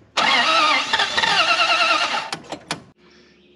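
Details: Dodge W300 or Oshkosh dump truck sitting unused a year, fresh gas added: the engine catches after cranking, runs roughly about two seconds, then sputters and dies. Starts then stalls; fuel suspected not reaching the carburetor, possibly a failed fuel pump.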